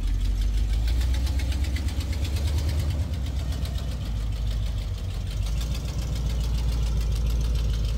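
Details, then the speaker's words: 1974 AMC Javelin, sat about 20 years, with AC on: heavy, uneven low thumping at idle that lumps and wavers — runs rough, transmission also slips; cause unclear. "one good and that thing runs like [ __ ] is it poopy"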